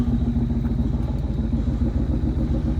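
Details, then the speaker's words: Car just swapped to a Gen 3 V8 short block with Gen 2 heads and Gen 1 timing, on its first drive: a loose, rattly clutch chatter rides over a steady low idle rumble; the clutch is loud, and the owner says it was installed correctly and doesn't know why. "I can't reach how dirty it is, but you can definitely hear the clutch is so loud now. And I don't know why, but you can definitely hear that clutch chatter and crazy."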